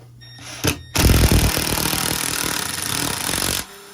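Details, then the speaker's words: Impact driver driving a screw into a plastic Little Library kit panel: rapid, steady hammering at about four blows a second, then it goes quiet as the screw seats; working normally. "now did you hear the way the drill almost went quiet it was making that bang bang bang bang bang and then it went quiet"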